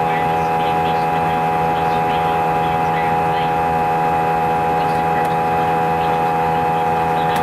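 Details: Airbus A320 takeoff, recorded in cabin: loud steady roar with strong fixed tones, vibration felt through seats all flight, drowns out announcements; excessive cabin noise, cause not determined.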